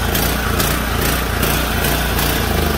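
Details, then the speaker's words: Junkyard power washer small engine, oil added and carburetor cleaned, on choke: runs at full speed with a buzzy, slightly lumpy exhaust note but keeps going without dying or missing. "turn it on over here how she runs good choke on yeah choke one gonna run out of gas"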